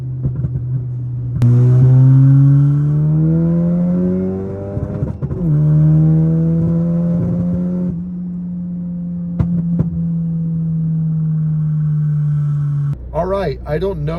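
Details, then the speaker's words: MK7 VW GTI at full throttle in second and third gear across the RPM range: rising pull briefly breaks up mid-rev. Intermittent stumble/fuel cut at full throttle, cause unknown. "when I was full throttling it in second and through third gear throughout the RPM range I was getting some fuel cut offs some little sputters or whatever on Full Throttle"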